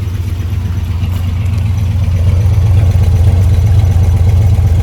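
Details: Freshly restored 1972 Chevy C10 Cheyenne V8 with headers and ATI distributor: deep even rumble building smoothly as revs rise, no knocks or misses; healthy-sounding engine.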